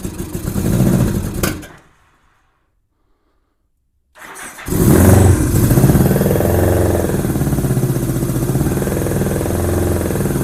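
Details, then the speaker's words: 1987 Honda GL1200 Goldwing, first start in many years, cold, choke inoperative, given some throttle: cranks, stops, then catches and runs with a wavering beat near four pulses a second, smoking at first. Rough running; owner suspects insufficient fuel supply and dirty carburetors. "Well, it smoked a little bit when it first started. I think it was starting to clear out, but I'm not getting enough fuel supply, I don't think."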